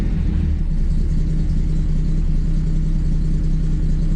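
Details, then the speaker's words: 1981 Chevy C10 idling low and lumpy in gear, stumbling at about two and a half beats a second after idling down; owner suspects a slight exhaust leak, hot engine to be left to cool before getting at a bolt. "So it may have a slight leak because that feels pretty rough."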